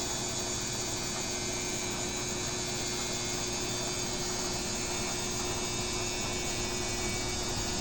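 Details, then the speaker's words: BWS24 washing machine running: even, smooth wash hiss and faint steady motor tone, no knocking or banging; runs normally, unlike the neighbour's unbalanced Midea. "Mexe, mas não faz esse barulho todo que a outra fez."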